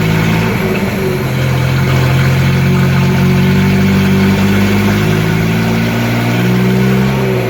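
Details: 1976 Datsun 280z 2+2 pulled from a junkyard and being reassembled, running much better: steady even idle with a smooth low drone, no misses or stumbles; normal idle.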